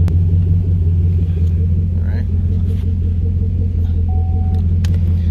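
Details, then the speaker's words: Chevrolet Camaro after fixing cylinder 2 misfire (codes P0302, P0202, P0174): steady even low idle rumble with no stumble as throttle is eased in, StabiliTrak message off; normal idle. "no that sounds good see the difference in sound watch i'm gonna just ease into the gas that is steady no more misfire"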